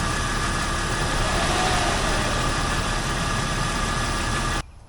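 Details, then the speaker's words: 2001 Jeep Cherokee XJ, new electric cooling fan after replacing its blown 40 A fuse: steady rushing fan whoosh over the idling engine, then a clean cutoff once hot; the fan works properly. "all right it definitely works now there you go I just had to wait for it to get hot"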